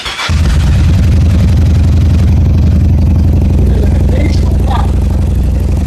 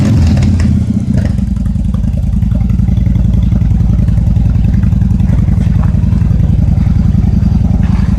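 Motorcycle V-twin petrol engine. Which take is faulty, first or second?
first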